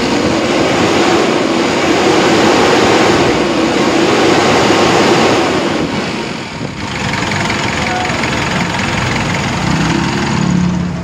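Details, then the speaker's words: Elf truck with 4M50 diesel, after replacing suction control valve and crankshaft sensor to cure hard starting (scanner showed engine revolution sensor and rail pressure control codes): fires promptly, steady clattering idle about three to four beats a second, no misses, weak battery noted. "oh One Click na mga Bossing goods na goods na yan mga Bossing"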